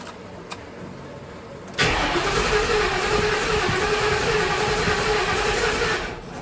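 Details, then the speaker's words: 2009 Ford Crown Victoria Police edition, crank no start: strong, even cranking at about four beats a second for about four seconds, engine turns freely but never catches; customer thinks it needs a fuel pump, though a fuel pump is later heard running. "Crank no start. What you guys think it is? Customer thinks he needs a fuel pump."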